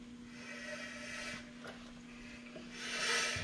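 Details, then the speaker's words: 2001 Dodge 2500 Cummins front axle fitted with the larger 2004 2500 brake setup, wheel turned by hand: light, dry scraping rub each pass as the bigger rotor catches the backing plate, which will probably need trimming. "now something you do if you listen you can hear it touching this backing plate you probably will have to"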